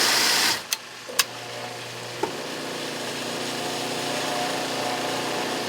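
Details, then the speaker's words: Sta-Rite Dura-Jet spa pump after fitting a test capacitor (original 64–73 µF, 250 V) for slow start/hum on low speed: clicks then spins straight up to steady hum; bad capacitor confirmed. "You hear that now it's starting right up, it's not waiting. So it was a bad capacitor in time."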